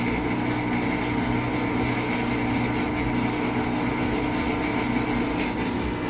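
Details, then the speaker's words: Amana washer after shift actuator replacement, running rinse-only calibration and testing the shift actuator: steady, even motor hum with a constant low drone, no knocking or scraping; calibration proceeding normally. "Okay, so it just went into shifter mode. It's testing out that shift actuator. And we just heard that noise. Was it shifting over into spin from agitate?"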